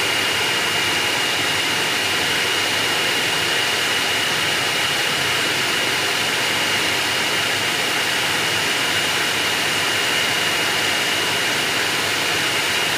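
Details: Ventilated seat cushion fan in a Hyundai Aura, run at speed settings up to 3: steady even air rush with thin constant high tone, no rattle or pulsing; normal fan noise.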